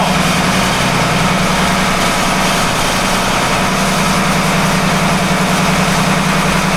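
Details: Volvo engine on 47 ft Carver motor yacht mid-Gulf, steady idle: rough gritty grind; suspected failing belt-driven pulley bearing, possible metal shavings seen, unconfirmed; motor shut down.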